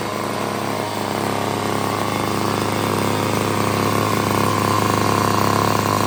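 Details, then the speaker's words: $5 yard sale two-stroke curb edger, mock-up gas tank feeding the carburetor, on half choke: steady buzz that creeps slightly higher, even and unbroken; runs healthy. "Hey, we got that little thing going pretty good."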